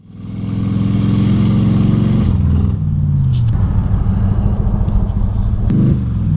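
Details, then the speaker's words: 2006 Crown Victoria Police Interceptor (P71) with a bad transmission in limp mode and the wrench light on. It won't pass 30 mph (description says 40). The engine revs steadily under throttle, then drops abruptly and stumbles without pulling. Starting in second gear prevents the 3rd-gear shift. "So this is what limp mode looks like on an 05 and up Crown Vic, the bad trans. Notice as I start to drive that the car won't go past 30 miles per hour. And if you try to get on the gas, the car will sputter and throw a wrench light, and well, here, just look for yourself."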